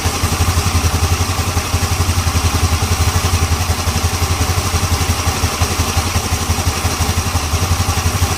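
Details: Yamaha Ego LC scooter, checking CVT-side noise after fitting a new part: engine idles with a steady, even low putter and no rattle from the drive side.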